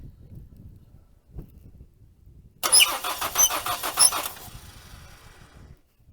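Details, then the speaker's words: 1980 Dodge (Colt) Challenger (Mitsubishi Galant Lambda), cranking after the rebuilt carburetor is installed: fast chattering crank with short high chirps. The squeak is traced to the number two exhaust valve, exact cause still unconfirmed. "unfortunately I figured out what that squeaking noise was so pay attention to the number two exhaust Val whenever I actually crank this"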